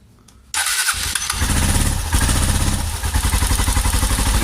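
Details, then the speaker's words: Honda Cargo motorcycle that started making engine noise after a fall, valve cover off at idle: fast light ticking about four per second from a rocker arm roller that won't turn; fix is replacing the rocker arm. "Entonces nosotros ahí lo tenemos ahí como vemos está lubricando bien pero el rodillo del balancín no gira y cambio del otro si está girando"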